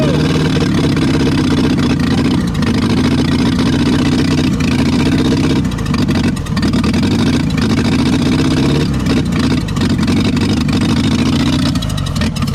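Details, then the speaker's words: 1962 Hillman Minx revived after 40 years abandoned, now somewhat warm, run through its rev range: steady, fairly even drone with slight rises and dips; runs fairly well but needs carburetor work, and oil may not be reaching the top end. "so well we got her running now we tested her at the whole full rpm spectrum here from 4 000 rpm up to about 14 000 you know she runs good she's a little warm now she just needed a cool and she needs a carburetor work but she does run pretty good"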